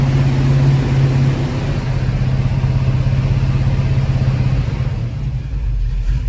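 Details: 1974 Pontiac GTO with Pontiac 455 V8 and freshly rebuilt carburetor, first running after sitting: deep, steady V8 burble at idle with an even low rumble, no knocks or misses; running normally.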